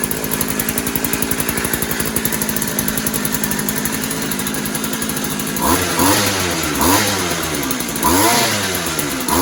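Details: Posthole digger two-stroke engine just after carburetor install, started on choke: crisp, even buzz at idle, then clean throttle blips rising and falling without stumbling; carb has no adjustments; runs pretty good, normal running.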